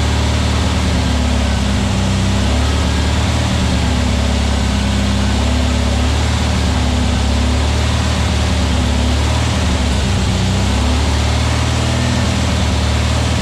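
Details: New VW Beetle 1679cc single-port flat-four, Scat C25 cam, dual Empi ICT carbs, first fire-up during 20-minute cam break-in: even steady low chuffing at constant speed, no knocks or misses; timing spot on, no leaks, carbs need tuning; normal running.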